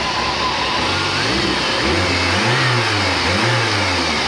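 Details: Chevrolet Niva after replacing a badly worn, loose rocker arm that caused cylinder head knocking: engine revs up and settles cleanly, smooth rising hum with no top-end tapping; valve train quiet and healthy.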